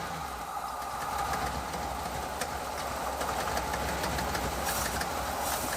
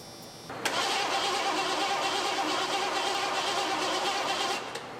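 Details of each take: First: 1986 Ford F150 5.0 V8 EFI, first run after 25 years sitting, headers, glass packs and side pipes, slight exhaust leak; loud lumpy idle near 700 rpm with even exhaust pulse; running normally. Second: 1986 Ford F150 with a 5.0 EFI engine, sat about 25 years, cranking after the key was cycled to prime. Steady starter churning at about three beats a second without catching. No fuel comes out of the fuel rail Schrader valve.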